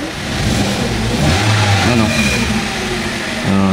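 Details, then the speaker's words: 2014 Hyundai Accent automatic, owner reports hard starting (needs about five tries) and low power, check engine light on: long cranking before catching, then uneven stumbling revs; fuel pump motor suspected, not confirmed. "Ayan, puro redundo lang. Ayaw mag-start. Ayaw tumuloy."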